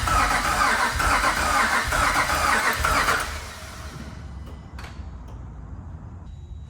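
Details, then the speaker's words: Cammed 5.7 Hemi Jeep Grand Cherokee after new tune, first start attempt: starter spins quickly and evenly with little compression, like no plugs in it, and never catches; timing suspected way off. "So it sounds like kind of like it's free spinning like there's no plugs in it."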